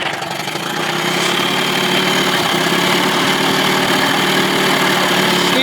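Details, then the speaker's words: 2000 Johnson 25 hp two-stroke outboard, barely warmed up: low-speed mixture screwed in from about 2.5 to 2.75 turns until lean misfire sneezing, uneven stumbles in steady idle. "bring her back in see where she starts sneezing at plus probably not even barely warmed up right there so about quarter to a half a turn back out"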